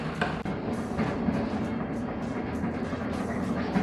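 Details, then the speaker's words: Bread maker on the normal loaf setting, second kneading stage after a new belt and a ring and spring wire reinforcing the broken sprocket gear; even churning with soft thumps from the rolling dough ball, no slipping or clicking. "Well, we're on the second kneading stage. It sounds pretty good. It's rolling around in there like crazy."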